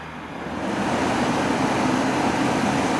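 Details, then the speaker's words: 1982 Emerson Quiet Kool 7400 BTU air conditioner in fan-only mode, compressor off: fan spins up slowly over the first second into a smooth, even whoosh, no rattle or scrape, pretty quiet; normal fan operation. "turn it off no kick from the compressor sounds real nice put on the fan only it's not free on that sounds nice put it on fan only"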